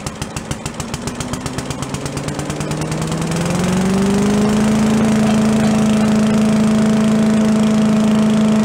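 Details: Yard-sale walk-behind leaf blower after needle/shut-off flooding fixed, air cleaner refitted: quick pulls, catches at once, steady even buzzing drone without misses or surging; normal running.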